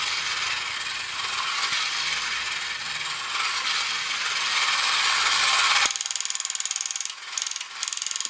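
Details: Kamco Saturn/Iron Man toy robot from the early 1980s, run on battery: steady light whirring, then crisp ratchet clicks at about four per second as the mode gear moves from the display-turning gear back to the leg-driving gear; normal gearbox operation.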